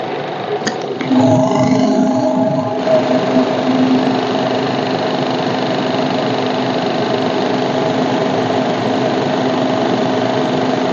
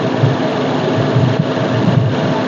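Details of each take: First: Maruti Baleno RS Boosterjet petrol engine idling with a steady droning tone over it from the engine side; a vacuum hose has come off its connection, causing a vacuum leak. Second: Maruti Baleno RS Boosterjet petrol engine idles with a steady low hum and even firing, no hiss or whistle, after the vacuum pipe that had slipped off its port near the air filter was plugged back in.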